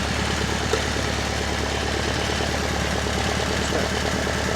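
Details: Alfa Romeo Spider, twin carburettors, after head gasket work following overheating, air filter off during a balance check: even, steady low idle pulse with no misses or surging; warm engine idling healthily, carburettors balanced, idle a bit high.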